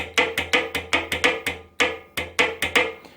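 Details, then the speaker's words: Honda Odyssey automatic transmission, removed from the car after losing drive in one gear. A shift solenoid valve tested on the bench gives sharp, crisp, even clicks three to four times a second as the armature fires: normal solenoid actuation. "okay so the both actuator you can hear the armature firing basically along the solenoid"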